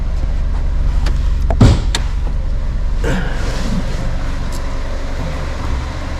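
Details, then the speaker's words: 2009 Ford Ka, a Copart category N salvage car with no service history, inspected on delivery with the AC off. A low, smooth, even idle hum has one thump from handling and no ticks or blowing. Normal idle. "i say it runs and idles really nicely"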